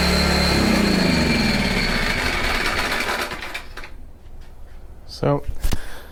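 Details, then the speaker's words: PowerTrain 900 W generator in for new fuel lines and carb work; after ripping the worn pull cord it started, holding a fairly smooth even buzz a few seconds before winding down and stopping, running decently though the original problem persists. "however we're still having the same problem it sounds like it's running pretty decent"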